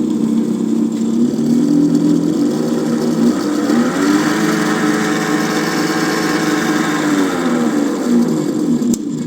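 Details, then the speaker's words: 7x14 mini lathe (Vevor-type) after its spindle bearings were replaced with better ones: steady rumbling whir whose tone drops and recovers as spindle speed changes; owner suspects the bearings were preloaded too tight, or one was damaged when fitted backwards. "Pero eh estuve leyendo y creo que puede ser por que tengo mal ajustados los rodamientos, o sea, que los ajusté demasiado. Puede ser que tenga que quitarle un poco de prelo a los rodamientos."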